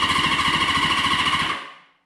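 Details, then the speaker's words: Rusty Honda CB550 motorcycle engine turned over by touching a lead to battery positive to circulate oil: fast, even chugging about fourteen beats a second, strong and regular; good compression, normal cranking. "really good sounds like we've got good compression to sweet"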